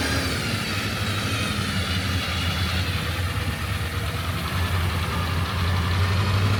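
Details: Suburban 6.2 Detroit diesel just after 25°F cold start via manual glow plug button, smoking heavily: deep even diesel rumble around three pulses a second, no knock or miss, mechanical engine noise audible; healthy cold idle.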